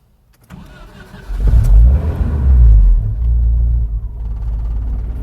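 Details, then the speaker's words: 1988 Jeep Comanche, Renix 2.5L I4: short crank catches only with a throttle blip, then a lumpy idle, otherwise it dies at once; the throttle stepper (idle speed) motor isn't moving or extending for starting. "It starts, sorta, but it instantly dies. You notice it doesn't do its little finger dinger."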